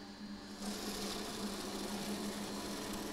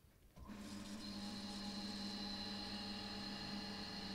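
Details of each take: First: Variable-speed series and parallel pump bench-top test set deliberately driven into cavitation: a steady pump hum turns into a harsh, gravelly hiss and crackle; cavitation stresses the pumps and may shorten their life. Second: Variable-speed series/parallel bench-top pump test set starting in parallel: near silence, then the pumps settle into a steady, even motor hum with a thin high whine once up to speed. Start-up and running are normal.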